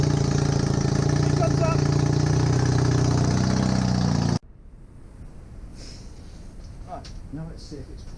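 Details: Honda CB250N Superdream twin project bike with new spark plugs, on part choke, powered from another bike's battery. A steady, even idle for about four seconds, firing smoothly with no misses, then it cuts off. Normal idle; oil leak from the engine front.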